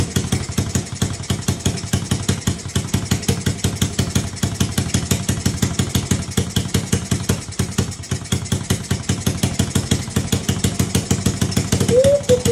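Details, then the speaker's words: Restored Honda Z50 50cc 4-stroke with exhaust refitted and idle adjusted; quick even putter of single thumps, no misses or hunting; normal idle. "Also adjusted the idle. That sounded a lot better."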